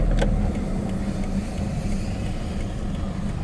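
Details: Toyota Hilux diesel pickup, original engine at 409,000 km, serviced every 10,000 km, driven after a full service: deep, even diesel rumble with no knocks, ticks or misses; normal running.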